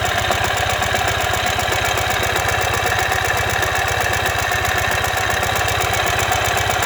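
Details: 2015 Ural Ranger boxer twin at idle: dense, uneven metallic knocking riding every firing pulse; collapsed front crankshaft main bearing.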